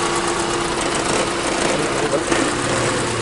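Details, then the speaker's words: 1987 Honda Civic Wonder, clean well-kept engine at idle: steady even hum with no knocks or misses, nothing rising or falling; smooth healthy idle. "Hai ini kalau dilihat dari mesin ini bersih sekali dan terawat sekali dan kita coba akan dengarkan suaranya"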